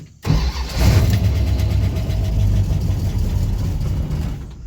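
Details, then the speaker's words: Freshly rebuilt Thermoquad carburetor, first cold start with bowls filled, only baseline mixture settings: catches immediately without pumping, runs strong a couple of seconds, then fades and dies; owner suspects idle screw needs turning in, fast idle possibly involved. "It started up and died, so it tells me I need to tighten my idle screw down just a little bit."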